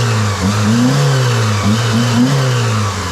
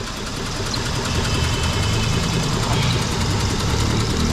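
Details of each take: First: 2003 Mitsubishi (Lancer/Eclipse) with P0300 misfire and power loss, only two of four cylinders working, after replacing the spark plugs: petrol engine revs smoothly up and down with an even note, no stumbling or popping; now very stable. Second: 2003 Mitsubishi Eclipse/Lancer with code P0300, power loss and high fuel use: low, uneven, shaking idle on only two of four cylinders. The misfire is traced to a faulty engine computer not pulsing the injectors properly.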